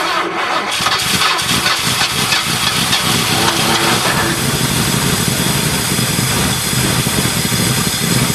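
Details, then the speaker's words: 1978 Ford LTD at about -10°F, jumped from a Buick: just started, idling fast and ragged with uneven firing while cold; rough cold idle. "there we go finally started definitely a cold start I'm glad I finally got it going"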